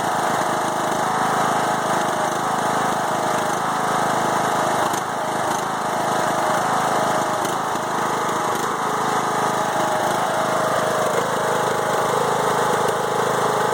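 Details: 5-year-old Craftsman mower with Briggs & Stratton Intek 20HP twin, head gasket replaced after hydrolock; runs rough, beat wavering and stumbling, bogs while mowing; no longer smokes; rough running, cause not pinned down.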